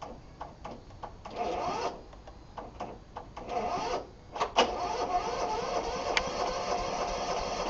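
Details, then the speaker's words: Vintage John Deere RX75 riding mower with replaced deck belts and pulley system: a few choppy bursts as it catches, then a steady even drone with no knocking. Normal start and run. "now I'm going to go ahead and start it up here a second"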